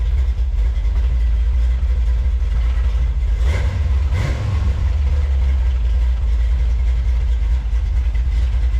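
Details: 1967 Camaro small-block Chevy with headers, running on fresh gas after sitting 34 years: a deep, steady rumble with an even, unbroken beat and no knocks or ticks. The engine sounds healthy.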